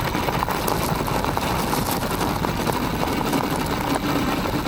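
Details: Aniioke A8 Pro Max Dual e-bike after the clunk fix (stem tightened, shocks adjusted to rider weight, foam pads added around the controller). Riding over gravel gives a steady tyre crunch and motor hum with no clunks on bumps.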